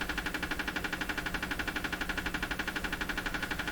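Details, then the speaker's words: Canadian Westinghouse Model 684 radio under fault diagnosis: a steady, even tick about four times a second over the radio's hiss, picked up from an unidentified household source. Ticking interference. "So this ticking sound you're hearing coming out of here, that's interference in my house from a source I cannot identify, which drives me nuts regularly."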